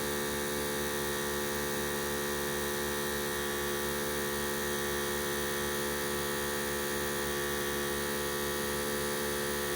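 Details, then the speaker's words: Harbor Freight 12V 150 PSI portable compressor inflating a 31x10.50 tire, at 26 psi after three and a half minutes: a steady, even motor hum with a fast, regular pump pulse and no rattles or strain. Normal running; the outlet and quick connects get very hot. "she's still going that's not overly noisy 26 pounds three and a half minutes"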